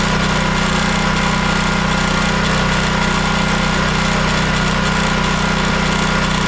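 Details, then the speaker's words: Champion 9375 dual fuel generator after carburetor ultrasonic clean and rebuild: steady buzzing drone at constant speed, no surging or hunting; runs well, fault was gummed carb or stuck solenoid. "the unit does start and run now. It runs well."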